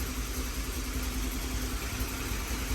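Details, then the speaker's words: GMC Sierra 5.3 V8 with BTR stage 4 cam, long-tube headers and equal-length exhaust, after replacing header gaskets and tightening the header: even deep idle with no puffing or ticking; exhaust leak fixed. "yup no more exhaust leak"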